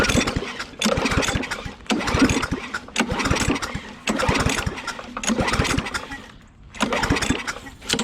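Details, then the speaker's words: Different trash-found push mower, choked and sprayed with starting fluid: short cranking bursts about a second apart, never catching; plug later found fouled with gas and starting fluid, with weak yellow spark; flooding suspected, plug type uncertain. "all right we pulled the plug out and the plug was completely like fouled with gas and starting fluid so we cleaned it off it does not have a very good spark it's got a very yellow spark"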